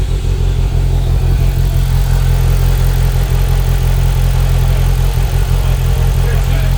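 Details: 2025 Polaris Slingshot: loud, uneven, loping low idle with no steady rhythm; rough idle of unclear cause.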